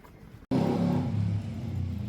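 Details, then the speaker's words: Motorcycle fires up and runs with a lumpy, wavering beat that sags after a second; won't hold idle or keep running, cause unconfirmed. "And this Harrier was firing up and doing exactly what that one. Ultimately, it didn't want to hold idle. It didn't want to run."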